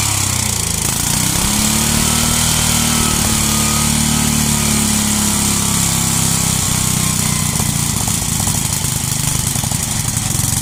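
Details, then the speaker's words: 33-year-old Homelite 8 hp, 4,000–4,400 W yard-sale generator running under load: steady busy single-cylinder note, no hunting or knocks, makes power but leaks gas; normal running. "All right. Well, so it works. It runs, makes power, leaks gas."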